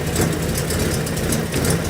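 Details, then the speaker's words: 1987 Buick Grand National, poorly running, owner suspects dead mass air flow sensor, exhaust leak possibly at turbo, at idle after computer reset: low uneven idle wavering and dipping as if about to stall; rough idle, cause unconfirmed. "It sounds like it's about to try to die."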